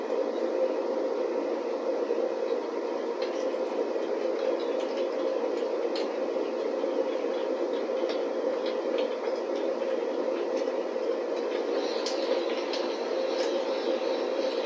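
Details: DIY waste oil burner after adjustments, diffuser disc spreading the flame: steady even roar with constant blower hiss, no pulsing or sputter; firing properly.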